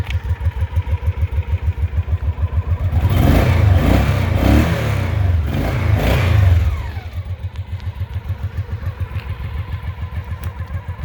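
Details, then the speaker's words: 1990 Honda Pacific Coast PC800: a steady, even idle pulsing about three times a second, and a smooth rev rises and settles cleanly; quiet, healthy engine. "It's just perfect. It's not an obnoxiously loud bike."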